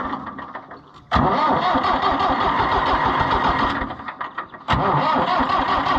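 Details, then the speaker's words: International Harvester 584 tractor that will not start, injector line loosened to check fuel delivery; two bursts of strong, even starter cranking, but no fuel sprays out and the engine never fires. It cranks but will not start. "huh ain't getting nothing"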